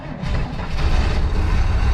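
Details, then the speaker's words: 1967 Chevy Nova barn find, off the road since 1983, first start on fuel poured in: low uneven lumpy thumping at idle, engine running rough and shaking; cause unknown. "it's running now boy it shakes"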